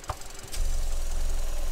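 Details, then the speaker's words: 2015 Vauxhall Corsa E 1.4 LDD engine, P0300/P0171: low, uneven lumpy idle when the oil filler cap is pulled off, a massive air leak; fuel trims go positive; rough idle from vacuum leak. "And you can see that our trims, they start to go positive, but you would, because you've got a massive air leak."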